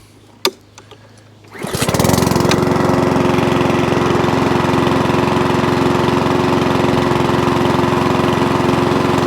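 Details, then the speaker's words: Old Mountfield 414 (or 416) rotary mower, single-cylinder: catches from cold after a short pull and settles into an even steady buzz with no hunting or surging; it now runs normally with the right amount of fuel. "that's better a flash you hear that so now it runs start stops fires from cold because we're getting the right amount of fuel through beautiful job"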